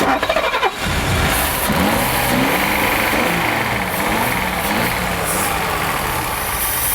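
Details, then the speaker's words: Mercedes 280 SE rally car revived after long lay-up with fresh fuel: catches after a few cranks, settles into fairly steady idle, no knocks; normal start and idle. "It's good to get that going after all this time."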